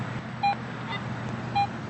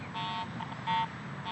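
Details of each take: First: Garrett AT Pro metal detector after automatic ground balance, coil swung next to the ground: crisp, repeated mid-pitched beeps about once a second bouncing toward a high signal, no ground chatter; clean target response, screen showing 8 inch depth. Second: Garrett AT Pro metal detector over mineralized soil above a nickel buried 8 in deep: short scattered tone blips and chatter with no steady, repeatable target tone, only ground response caused by improper ground balance.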